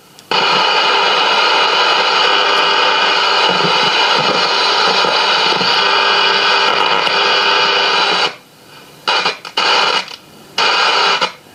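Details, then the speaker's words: AWA B15 valve radio chassis from a deceased estate, brought straight up to 220 V, dim bulb not lighting, voltages good: loud hiss and crackle cutting in and out in bursts as control moves; dead, worn, dirty volume potentiometer. "another dead volume pot so our voltage is pretty good"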